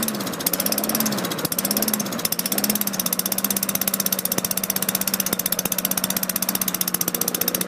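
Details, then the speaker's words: 2003 Craftsman mower, Tecumseh 4.5 HP engine, running slow with a steady low drone and a loose, uneven beat. Engine speed too low; raised by adjusting governor spring tension at the governor arm. "RPM's got to go up. Let me adjust that."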